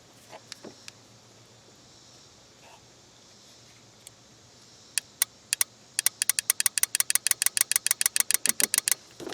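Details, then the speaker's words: Starter relay from a 2001–03 Ford Escape/Mazda Tribute bench-tested by powering pins 85 and 86: a run of sharp, crisp clicks about two a second against a quiet background. A healthy relay switching cleanly. "Anyway, that's what a good relay should sound like."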